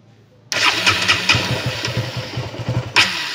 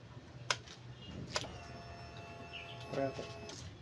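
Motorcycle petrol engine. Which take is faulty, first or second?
first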